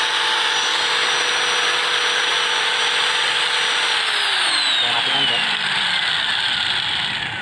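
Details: Household pump motor run through a homemade soft starter to prevent breaker tripping from starting current surge; loud steady high whine at constant pitch, then sliding smoothly down as it slows; runs evenly; normal motor run.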